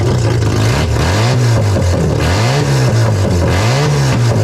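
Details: Mazda RX7 12A rotary barn find, first startup after sitting for years, electric fuel pump feeding a carb suspected of flooding from bad needles and seats; smooth buzzing revs rising and falling cleanly through repeated blips, normal free revving.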